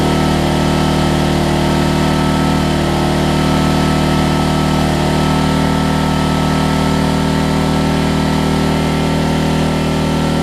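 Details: Homelite LR4400 generator after carburetor and kill switch replacement: single-cylinder engine holds a steady, even drone at constant speed with no hunting, misses or knocks; runs cleanly, though the kill switch is not yet grounding it out.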